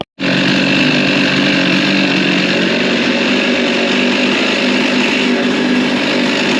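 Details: Husqvarna 55 Rancher chainsaw after a new carburetor, low and high jet adjustment, new plug and air filter: fires straight up and holds a strong, even high-rev buzz with no sag or stumble; normal running.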